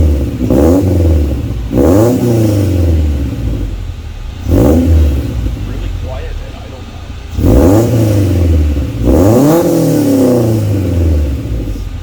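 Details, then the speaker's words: Honda wagon with newly installed Vibrant Performance aftermarket muffler on existing exhaust, revving: repeated blips rise and fall cleanly with a raspy, even exhaust note, quieter than previous muffler, no banging or clunks; normal exhaust note. "Obviously, the muffler quieted it down a little bit compared to the muffler that I had on before. It still has that nice raspy sound to it, which I really like."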